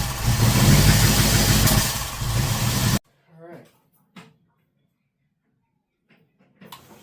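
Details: Ford engine with Holley Sniper 2 fuel injection: rough, uneven start for three seconds with sharp pops, then it quits; backfiring, owner wondered about too much fuel.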